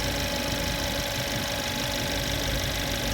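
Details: Mercedes-Benz C180 CGI W205 at idle, front of engine: thin steady electrical whine from the alternator, charging only about 12.06 V instead of normal; not a mechanical noise.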